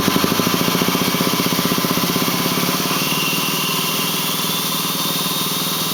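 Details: Ford 6.4L diesel at 208,000 km (129,000 mi), Banks Six-Gun tuner and Ram Air cleaner, otherwise stock, runs smooth with full boost: idle with a rapid, even thump about three per second over the clatter from the intake; cause unknown.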